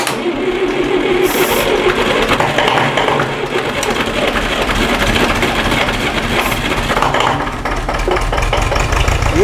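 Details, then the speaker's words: Massey Ferguson MF-35 diesel after frost damage and a repaired cracked cylinder-head water channel, first cold start with starting fluid: it catches and settles into a steady, even clatter with no knocks or misfires. "yeah that works all right she's running quite good as well for a full engine"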